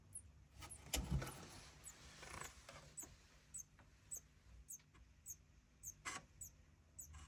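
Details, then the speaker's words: Focusrite Scarlett 18i20 2nd gen with no power: SMPS makes faint sharp chirps about twice a second, hiccuping into protection; cause traced to the mainboard overloading the 51V rail, supply fine when disconnected. "you hear this? It's a supply problem. Power supply."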